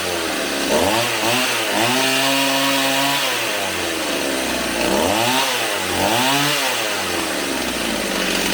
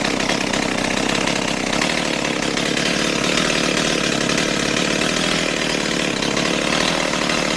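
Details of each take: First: Stihl 028 AV Super chainsaw, warmed up, after carb rebuild, tach at spark plug: saw blips and drops back to a buzzy, wavering idle with soft low-speed response; low-speed needle to be turned out slightly, target idle about 2400–2700 rpm. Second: Stihl 028 AV Super chainsaw after carburetor rebuild, tuned with a tachometer: steady, even two-stroke buzz at idle around 2400 rpm, no hunting or stumbling; low-speed idle set correctly, chain creeping slightly.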